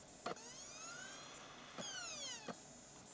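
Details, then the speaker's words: Optical Blu-ray drive in a computer, before trying laser lens cleaners: spin-up whirs climbing in pitch broken by sharp clicks every second or so, repeatedly retrying and seeking and failing to read the disc; vibration ruled out as the cause. "Nope. Looks like the vibration thing was just a fluke. Yep. It's doing it again."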